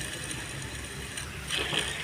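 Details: Hyundai i20 diesel, belt removed: tensioner pulley spun by hand gives a dry, gritty rattle instead of a quiet free spin; worn tensioner bearing, idler bearings also bad, all replaced to cure engine noise.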